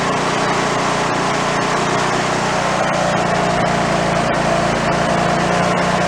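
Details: Toro riding mower single-cylinder engine, failed and torn down, rebuilt missing half its crankshaft, no throttle: loud lumpy, uneven beat, roughly three pulses a second, with heavy shake "like a Harley" from the out-of-balance crankshaft.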